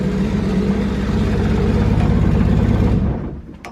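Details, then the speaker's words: RB25DET engine swapped into an S13 at first start after a wiring harness fix, drive-by-wire set up. Uneven, lumpy running with a loose rattle, then it dies; seems not on all cylinders, cause unconfirmed. Rough running, misfire. "it's doing all kind of craziness i don't know it's definitely not doing what it should be doing doesn't sound like it's on all cylinders"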